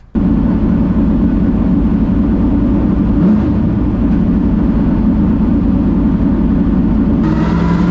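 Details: Hooters Thunderbird NASCAR stock car on its first fire-up after the starter was reinstalled and the headers tightened with new gasket material: fires at once into a loud, deep, steady V8 rumble with no misfires or knocks. It runs healthy.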